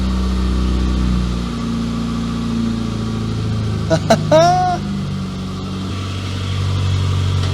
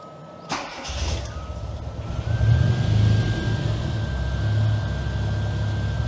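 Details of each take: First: Classic Mini MPI first start after engine reassembly and head gasket repair: steady but fast idle with an even beat, no misses, a bit of oil burning off; idling high, suspected throttle adjustment, not confirmed. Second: Classic Mini MPI after engine rebuild and head gasket repair: quick crank, catches, faint whine climbs slightly, then a steady even idle with no knocking; running normally now.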